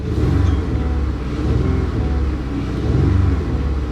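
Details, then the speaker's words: 2014 Dodge Avenger V6 at auction with 155,000 miles, nearly out of fuel, revved in park: a low, uneven rumble whose beat stumbles instead of smoothing out; a dead miss on one cylinder. "yeah just a dead miss an absolute dead miss she's also out of gas she's got no gas"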